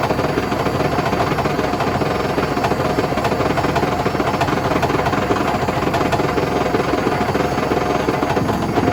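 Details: Hotpoint BHWMXL145 washing machine on a test spin heading toward 1400 rpm: a hard spin with loud, uneven thumping and rattling over a roaring drum as it slams about, because two drum spider arms have snapped.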